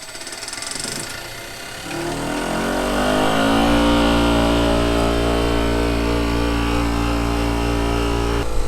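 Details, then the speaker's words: Maple-sap vacuum pump started on its frequency drive after the heater was turned on to warm oil that is too cold to spin; it winds up smoothly to 1700 rpm and settles to a steady, even hum with no knocks, reaching its roughly 27-inch vacuum setpoint: normal start. "so on my way home from work this morning i swung and turned the heater on on the pump so this thing should kick kick right up and not have any trouble start"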